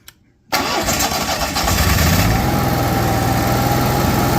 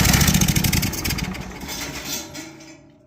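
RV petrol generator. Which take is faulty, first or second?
second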